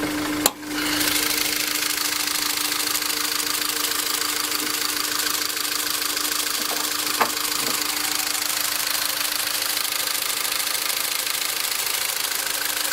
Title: engine noise after 2nd TCT